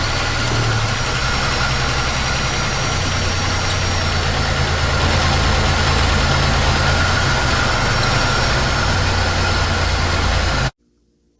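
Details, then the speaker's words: GM 3800 Series II engine just overhauled and installed, after replacing a sensor: lumpy, loping idle; still runs badly, scanner showed cylinder 6 misfiring, traced to a non-working injector, later replaced. "that helped but it still runs really bad so we plugged in the scanner and it told us that cylinder number six was misfiring we discovered the injector was not working on that cylinder"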